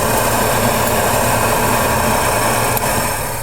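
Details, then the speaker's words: AMC Javelin SST heater blower fan, powered by a battery charger, on high speed: strong even whoosh and steady motor hum with no rattle or scrape, sounding better after blowing out debris. Normal. "sounds like there might be some crap stuck in there actually sounds better it blew some stuff out there's a high speed on him"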